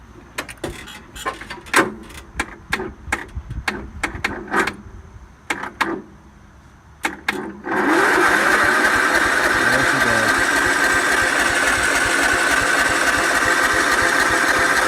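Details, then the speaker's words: John Deere L110 automatic lawn tractor, Kohler engine, sat about four years, jump-started: scattered clicks then steady churning crank that never catches; little gas in tank and none in the fuel filter, so no fuel reaches it. "so there's also no fuel in this filter I might need to go get more gas"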